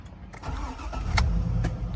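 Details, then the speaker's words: 2003 GMC Denali with battery drain, oil-leaking: brief crank, engine fires right up and settles into steady even idle; healthy cold start. "Fires right up. That's good."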